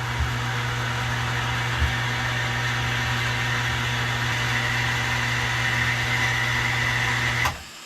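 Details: New outside water pump under boat house, outside tap opened: steady even motor hum with constant tone cutting off cleanly at about seven and a half seconds; normal cut-off at pressure.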